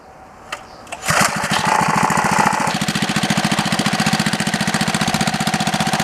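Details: Small 3HP single-cylinder engine on a Wheel Horse, run after gasket installation to stop oil leaks: fires after a couple of sharp pops, then settles to a steady, even putter of about four beats a second; healthy.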